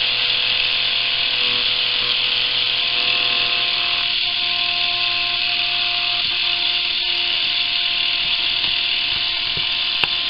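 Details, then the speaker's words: Philips rechargeable cordless electric shaver, fully charged, motor measured at 1.25 volts: thin high buzzing whir, steady but lazy and slow; motor underpowered from too little voltage, owner plans to double voltage. "1.25 volts not nearly enough needs to be increased twice the voltage will be twice the speed that you're hearing now and that's what i'm looking for"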